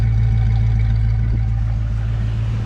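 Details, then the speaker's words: Classic car at the exhaust while checking for misfires, no big cam: deep, even V8 burble, steady rhythm with no skips, pops or misses; healthy idle. "and if it doesn't have a giant cam in it, it should kind of sound like this, and you shouldn't have any misfires or lapses in essentially noises, so you shouldn't have any burbles in it."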